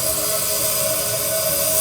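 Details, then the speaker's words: DIY siphon-nozzle waste oil burner heater running after a hesitant light: steady even roar with a faint tone near 600 Hz, no pulsing; a little smoky combustion, with some smoke at shutdown since the air doesn't stop instantly. "wasn't that smokey yesterday goes I mean now I can live with Grant is a bit of smoke at the end but that's just cuz the air doesn't stop instantly"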